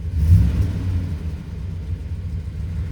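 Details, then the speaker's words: 2003 Ram 2500 quad cab long bed after installing a Flowmaster FlowFX cat-back exhaust to fix a leak behind the catalytic converter: quiet, mild steady rumble at idle, no drone or rasp, ticking leak gone; normal exhaust note. "firing up new exhaust yeah it's quiet it's mild at idle but best of all no more ticking stinky fumes coming out of that"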